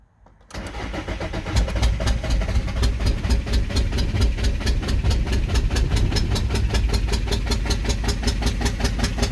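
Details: VW 1.9 TDI PD BXE 105hp/77kW cranks but won't start after new cylinder head, camshaft, lifters and cam bearings; timing set with lock tools, fuel bled, injectors cleaned, no ECU errors, exhaust off turbo. Owner suspects cam sprocket fitted upside down. Steady cranking, never fires.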